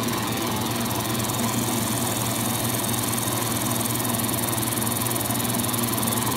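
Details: AMMCO brake lathe disc feed gearbox after mounting and aligning the PTO to the rotational centre line: smooth, even hum with a light fine tick and no rattle; the gearbox runs quietly and healthy.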